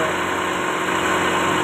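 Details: Toyota Starlet (kotak) at idle during a timing belt check; the belt shows no play and sits centered, judged okay: steady, settled idle with a constant hum and no knocks or belt noise; sounds healthy.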